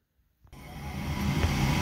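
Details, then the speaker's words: Furnace whose flame lit then went out after seconds, restarted after cleaning the flame sensor rod with a scrubby pad: thermostat calls for heat, and after silence the inducer fan kicks in, building to a steady low whoosh, a normal startup. "okay so we just turned the thermostat on it's calling for heat the inducer fan just turned on"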